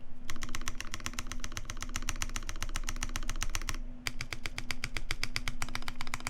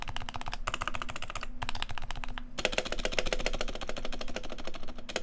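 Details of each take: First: Normal typing on a custom Taeha Types x TGR keyboard with brass plate, GMK Olivia keycaps, Vintage Black housings with Nixie stems, Krytox 205g0 lube, 72g springs, lubed and clipped GMK screw-in stabilizers: quick, even clacks with firm thock, no rattle. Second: Unlubed, silenced switches in a side-by-side comparison with an identical lubed keyboard: fast bursts of dry, clacky keystrokes with a slightly scratchy edge; unlubed switch scratch versus the creamier, deeper lubed board.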